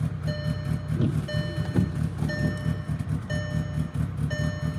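Uneven, lumpy low rumble with stumbling beats under a repeating chime; the engine is running rough, like a misfire. Cause suspected, not confirmed.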